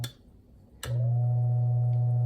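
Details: 1938 GE 12-inch oscillating fan, catalog 49X929, after base rewiring, bare motor without blades switched to high speed: settles into smooth steady hum, no ticking or rubbing; healthy run; normal.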